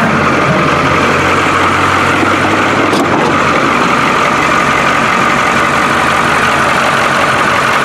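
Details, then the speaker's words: 1985 International diesel school bus, cold start, not yet warmed up: fires right up into a steady, even diesel clatter at idle with a constant drone, no knocks or surges; runs smoothly. "well that was boring wasn't it fired right up"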